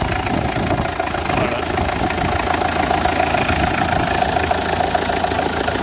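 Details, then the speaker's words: Renault Express diesel after head gasket and timing belt replacement, test run: steady, even idle with mild clatter and no knocks, rattles or misses; no abnormal noise, only a small leak noted. "d'après ce qu'elle à l'appui il n'y a pas de bruit anormal"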